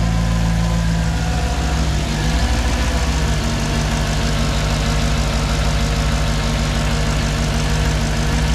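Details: Mercedes C55 V8 with new intake spacers, in neutral, first start with the cooling fan unplugged: steady, deep, even idle with no misses, ticks or hunting; running cleanly and settled.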